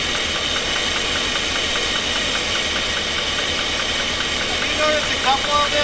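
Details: 2016 GMC Sierra 2500 6.0 L V8 running with injectors unhooked and one side without spark: light, uneven tick about four times a second over a rough idle, still present with cylinders disabled; source not found, valve lash later thought to be within spec.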